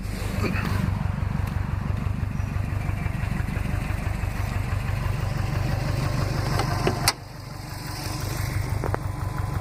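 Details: 2005 Saab 9-2X Aero, engine 119K miles, stage 2 COBB OTS tune, warm idle; steady low thump about three times a second under exhaust drone; owner suspects piston slap, data logs show no knock; knocking at warm idle.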